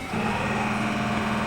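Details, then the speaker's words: Rear-tank fuel transfer pump on a GMC 3500 dually flatbed with Duramax diesel switches itself on after the fuel level sensor code is cleared, holding a steady low electric hum without surging; transfer pump running normally. "Oh, interesting. We didn't turn it on. It just turned itself on."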